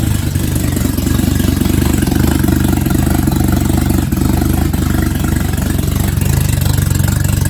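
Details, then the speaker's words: Jetta engine's first start after a rebuild with timing chain, gaskets and intake manifold, run without coolant and without the exhaust manifold fitted, so it is loud: steady, even idle rumble with no knocks or misses, running smoothly. "And I mean, it sounds good. It's running smooth. Yeah, Running really smooth. It's just idle."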